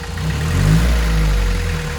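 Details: VW 1.6 naturally aspirated diesel swapped into a Ranger, first start after rebuild with new piston and cylinder head following a shattered cylinder 1 exhaust valve: steady, smooth idle, warming. Leaking injection pump gaskets suspected of drawing air.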